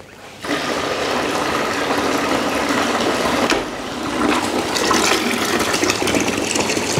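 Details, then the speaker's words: Washing machine drain pump tested on 220 V, hose end above water level: pump starts and holds steady hum under rushing, splashing water, no rattle or grinding; drains normally. "включаем наш насос Смотрим как он у нас будет сливать"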